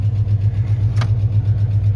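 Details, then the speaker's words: Steady low idle with a light, even tick about eight times a second. The ticking slows as the oil warms, and oil pressure is still good. Owner suspects an oil issue; the tick is also heard when pulling away or stopping. "Ticking's starting to get a lot slower. It might be an oil thing, but I know when you take off, you hear that, or when you stop, you can hear that little ticking,"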